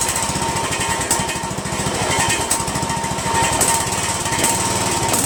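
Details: Poulan 16.5 HP lawn tractor single-cylinder engine after valve check, RTV valve cover gasket, Chinese copy replacing Nikki carburetor and new intake manifold: choppy beat with uneven stumbling firing pulses and occasional misses; rough running, cause unconfirmed.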